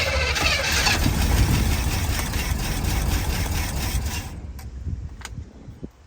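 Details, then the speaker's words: Vintage Chevy van that sat for years, running on an improvised fuel and air supply: V8 catches and runs ragged for about four seconds, then smooths out as oil gets around. Rough running after long storage. "that did not sound [Music] terrible okay smoothing out getting oil I guess a little more idle"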